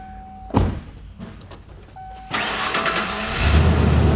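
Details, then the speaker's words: 1994 Ford E150 Econoline conversion van, good running and in good shape: quick crank, catches and settles into a steady even idle with no belt squeal. Normal start and idle. "i knew you guys it's a good running van it's in good shape it's a 1994 and it's a conversion van"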